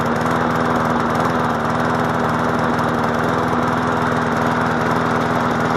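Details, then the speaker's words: MTD Yard Machine push mower small engine, previously fixed for no compression, throttle needing adjustment: uneven chugging with occasional skipped firing strokes; misfire and rough running, cause not confirmed. "let's see what's going on with this thing since it's acting a little uh crazy it's not uh firing like it should which was odd though because it was running okay before then"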